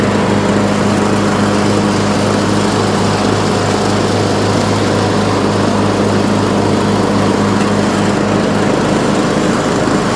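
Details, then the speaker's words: Troy-Bilt Pony riding mower, revived from scrap after electrical and steering repairs, mowing passes testing the deck: steady, even single-cylinder drone with blades spinning, no misses or knocking; runs excellent under cutting load. "This mower runs excellent. Everything on it is good to go and ready for a new home."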